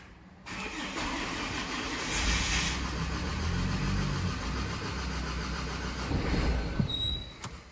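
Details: 2013 Ford Ranger diesel that ran about 45 minutes after new glow plugs, then began stalling: it cranks, catches, runs roughly a few seconds, then sags and dies. EGR valve stuck open suspected (smells of EGR), unconfirmed.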